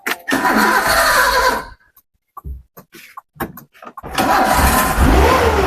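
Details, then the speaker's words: 2002 Kia Visto, manual, engine described as healthy: starts quickly, settles into a smooth quiet run with no knocks, misses or rattles, then revs cleanly, described as smooth and almost inaudible; normal start and rev. "Masih Halus, halus tarikannya. nyaris tak terdengar, Mas."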